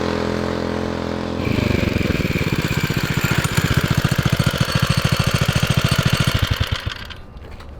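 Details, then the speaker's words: 1970 Fox Condor mini bike, Tecumseh HS40 with a new 22 mm carburetor and the idle readjusted: steady, even single-cylinder pops rising under throttle and easing off with no stumbling. It starts easily and runs well. "cranks up so good yeah it's that new carburetor runs so good"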